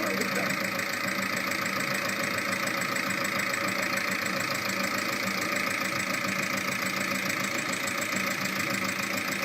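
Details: VAG 1.9 TDI 105 hp diesel at idle: quick, regular light ticking about three a second on top of the diesel clatter, from a defective hydraulic lifter.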